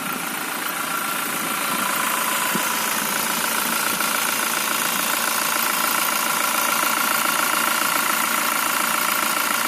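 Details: Toyota Fortuner VRZ engine at idle: steady idle with an even dull knock about three or four a second, "duk duk duk," over the engine hum; source of the knock unknown.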